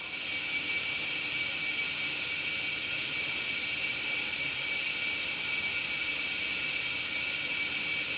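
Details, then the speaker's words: 750hp single-turbo BMW 135 during boost leak pressure test: Hobbs switch triggers second fuel pump around 15 psi; even high-pitched whir with steady hiss, no surging; pump running normally, no turbo- or intake-side leaks heard up to 25 psi. "So if you hear that kick on, that's just because the Hobbs switch is telling the fuel pump to activate because it's seeing that much boost."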